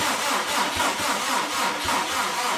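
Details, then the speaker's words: Subaru Impreza with freshly rebuilt engine on EJ207 block, cranking to build oil pressure after extra charging and a jumper: labored, dragging crank with slow uneven compression beats that sag and fade out; battery dying. "Just build up some oil pressure. That does not sound like a healthy battery."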